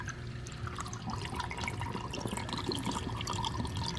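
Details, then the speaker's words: DIY 20-gallon sump under 75-gallon aquarium, drain without net: continuous loud splashing, gurgling and dripping as water guzzles down the drain pipe, air-sucking flow; fixed by setting a small net in the drain. "It's fairly loud. I mean, it's guzzling water down that pipe there."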